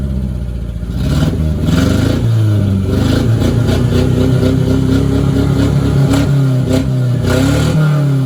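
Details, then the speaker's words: 1990 Mitsubishi Mighty Max on old plugs after a Seafoam treatment and a new fuel filter: engine revs with an uneven stumbling beat and intermittent firing dropouts. It still has a miss but sounds much smoother. "So I'm gonna say right off the rip, it's still skipping, but the motor sounds like a million times better."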